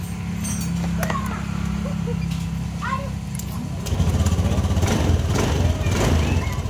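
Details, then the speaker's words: A Honda Beat ESP scooter that stalled after a ride and would not restart has had the fuel pump area checked. After the fix it starts and idles with a steady, even putter and no misses. "dengan normal dan matikan lagi kontak on dan kita starter ya kita hidup kawan-kawan"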